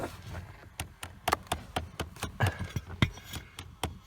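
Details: 2010 Chevy Equinox, clicking under the dash even with key off: rapid sharp plastic clicks about four a second from a failing hot/cold blend door actuator behind the glove box; actuator replaced.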